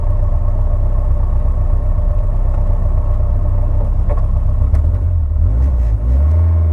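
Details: Rough uneven running with irregular lumpy beat under the revs, about four stumbles a second; misfire, owner suspects a coolant temperature issue, not confirmed.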